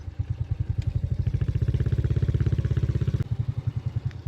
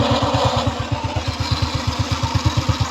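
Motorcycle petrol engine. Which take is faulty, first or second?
second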